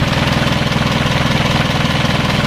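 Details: Isuzu 4HL1 diesel after troubleshooting a crank-but-no-start fault involving the fuel shut-off valve: even, rhythmic clatter at steady idle, every beat equal, no misfire or hunting; running normally.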